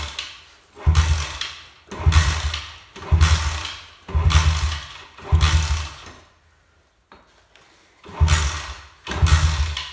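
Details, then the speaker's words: Friend's 4-stroke pit bike that only ran on choke, after carb adjustment; short low firing bursts about once a second that die straight away and never settle into idle, meaning the idle screw is set too low. "okay so if it's cutting off right away you'll see in the next clip here quick if it's cutting off right away that means your idols too low"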